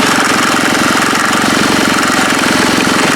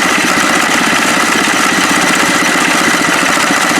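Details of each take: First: HondaX4 mower build engine at fast idle, muffler missing two mounting bolts: loud, rapid, steady metallic chatter, mainly from the loose muffler pipe. Exhaust pipe rattle. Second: HondaX4 mower build engine at low idle with the clutch engaged, which keeps the idle from dropping lower: calm, even idle with a light, steady chatter and no misses or knocks. Normal.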